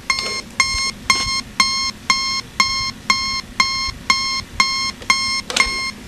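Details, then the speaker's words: National Panasonic RC-65B clock radio, alarm set off through speaker: harsh buzzy beeps about twice a second, not volume controllable, radio also sounds distorted; speaker possibly blown; distorted alarm buzzer from faulty speaker. "it's all so messed up it's not volume controllable you don't get the radio silently"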